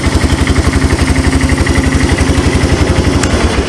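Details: Abandoned Yamaha 250cc ATV (Bear Tracker), cranked with a screwdriver: even, steady single-cylinder putter at about four beats a second, no misses or knocks; healthy idle.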